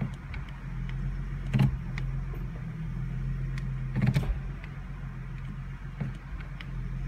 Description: 2015 mustang transmission clunks and shakes the car when selecting reverse from park.